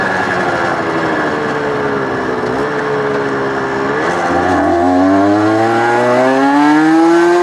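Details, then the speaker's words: Suzuki RG125 two-stroke with fresh top end, test ride: crisp clean pull with pitch climbing steadily through the revs, no bogging; rides much better, main jet rise from 195 still considered. "It rides much better. Much better."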